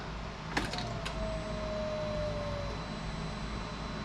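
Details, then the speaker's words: Polaris RZR 1000 fuel pump priming after repair with a new rubber horseshoe spacer (previously only 25 psi, spec 58): short quiet hum sagging slightly in pitch as pressure builds and holds at 60 psi; healthy priming. "it's holding psi though oh there we go 60 psi"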